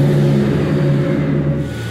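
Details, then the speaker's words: Ford 4.6 V8 Grand Marquis: steady even idle with no stumbles; Power Balance test shows cylinders even, not currently misfiring. "here you can see I'm pretty well even across the board as far as the Power Balance test goes I'm not dropping any cylinders or anything like that tells me I'm not currently misfiring"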